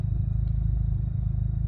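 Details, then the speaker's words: Audi A3 8P 1.8 TSI, after timing chain and injector replacement: after cleaning plugs and clearing VCDS fault codes, mostly even fast idle with odd uneven beat; occasional idle misfire, owner suspects old plugs, unconfirmed. "So VCDS, I cleared the fault codes. It's somewhat happy. There's like the occasional misfire. But yeah, it's not cut out"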